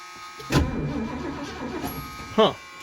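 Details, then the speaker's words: 1978 Mercury Marquis Brougham 400 parts car, sat for years (sticker 2005), freshly charged new battery, before adding fuel; starter spins the engine steadily with no grinding or clicking. Normal starter cranking. "it does turn over fuel gauge is moving it moved a little bit"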